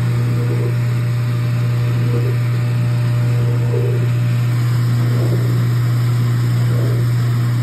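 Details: Speed Queen washer (AWN412SP111TW01) not spinning, clothes left wet after cycle: steady low motor hum with no drum churn or spin-up, motor running free; broken drive belt, fixed by belt installation.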